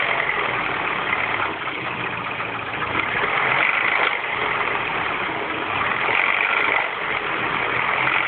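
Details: R56 Mini Cooper S cold morning start after timing chain tensioner change: steady, slightly uneven rattly whirr high over the idle; abnormal cold-start engine noise, cause not pinned down.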